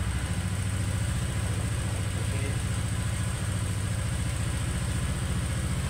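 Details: Honda Vario 125 old, after repair for hard starting and heavy starter (problem usually valve/packing failure): starts easily, steady even low putter at idle with no misses, ticking or knocking.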